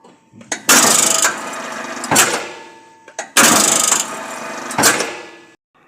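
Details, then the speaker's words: Workshop machine motor with cover removed: harsh crackling rasp in bursts as the motor spins up and runs down, caused by the fan impeller catching on the motor brake; gap adjusted with a screwdriver, and the noise was gone after the fix. "сняли кожух ещё раз проверяем банально крыльчатка цеплялась за тормоза поправил зазор с помощью отвёртки"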